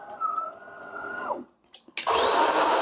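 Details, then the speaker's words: DeLonghi Magnifica S ECAM22.110.B coffee machine after quick grinder regeneration (rattling grinder was jammed by a piece of wood or small stone, then vacuumed): motor hum winds down, then a loud, even grinding roar with no rattle; burrs grinding normally. "Słuchajcie, parzy się lura, bo młynek był odkurzony, ale mieli."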